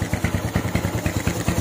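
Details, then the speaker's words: Motorcycle with PWK 35 AS KRJ carburetor, before disassembly: starts immediately and idles with a steady even thump, no misses; idle stable, though owner says it fouls spark plugs. "Langsam juga stabil, Teman-teman bisa dengar sendiri."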